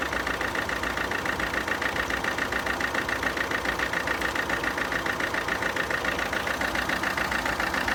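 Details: 2011 Alfa Romeo Giulietta II 1.6 diesel (940A3000, 105 PS, 312,000 km) idling with a steady but lumpy chuff, about three to four beats a second; one cylinder has no compression.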